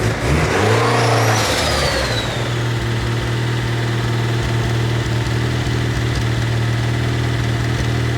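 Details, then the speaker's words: A Honda D16 non-VTEC engine after a big pull at 28 psi of boost: a quick rev, then an idle with a light, tappet-like tick over the low hum. It is not valve lash or a faulty LMA, and internal damage is suspected. "All right, so how do we describe the sound? It is kind of a tappet sound. It's almost like it needs a valve latch adjustment, but of course that's not the case because it happened right after a big pull."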